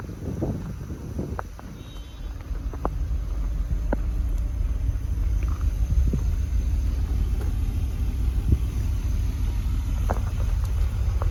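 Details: BMW E34 520i Touring on cold start: deep steady rumble with scattered sharp ticks over the idle, then white smoke cloud from the exhaust; abnormal engine noise, cause unclear.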